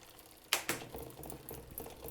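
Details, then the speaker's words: Bike with GRX 11-speed clutched derailleurs, Shimano 10-speed 11-34 cassette, Campagnolo 10-speed Veloce shifters: two sharp clicks then light irregular chain patter; shift misses, then jumps two gears and chain skips from mismatched cable pull. "see it doesn't want to shift so then I gotta shift again and now it's going to shift two gears it's going to skip that one and go to this one so that's what's happening and as you can hear it's still skipping a little bit it wants to uh catch the next gear down so that is the problem"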